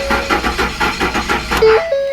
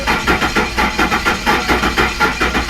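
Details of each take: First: Ford F-150 4.6 V8, first start attempt after timing chain work, cranking to build oil pressure with the plugs in: the starter turns the engine at about five even pulses a second, then stops with chimes. It never fires and no oil pressure shows yet. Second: Ford F-150 4.6 after timing chain work, all plugs fitted and crank sensor unplugged, priming oil pressure: steady starter cranking, three to four even compressions a second, turning freely without firing.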